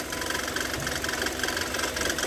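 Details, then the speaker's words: Kia Sorento idling with water poured on the accessory belts: rapid, harsh chirping squeal as the wet belt slips; owner reports noise and battery light whenever driving in rain. "Vamos jogar água aqui em cima das Correias Olha aí ó tá vendo o barulho olha só Olha que barulho chato"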